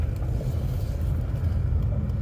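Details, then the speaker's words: 2014 Chevrolet Impala Limited 9C1 police-package V6 of about 300 hp, 142,000 miles, coming up to temperature while driving on the road under light throttle: smooth low rumble with no knocks or misses, running strong and normally. "But like I said, it runs really smoothly. It's got a really strong motor."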